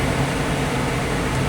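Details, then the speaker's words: 2006 Pontiac Solstice after the blend door actuator replacement, HVAC recalibration with LEDs flashing, fan on full and engine off: a steady blower rush with a low hum as airflow moves vent to vent, a normal calibration sweep. "Once the LEDs start flashing, It's going through the calibration process I can hear the airflow going from vent to vent"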